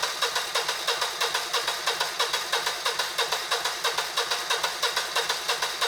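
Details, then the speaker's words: Generac GP17500 17,500 W portable generator (model 0057351), bought non-running, choke applied: steady electric cranking at about three compression pulses a second, never firing. Crank-no-start, possibly from a clogged carb. "And we get absolutely no signs of life. So either the carb is really clogged up or we have some other problem going on here."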